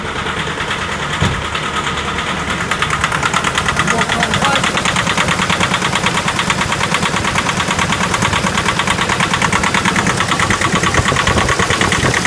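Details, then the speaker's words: Nissan NP300 with YD25 diesel, cold start at minus 15 °C: sharp, regular knocking about three per second over rough cold idle, heavy blue smoke; strong cold knock, cause unknown. "Стук двигателя какой-то. На холодную стучит сильно мотор."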